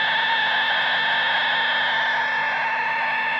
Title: Vitoos ISO4 Power Supply (Screetching sound from 2 outlets)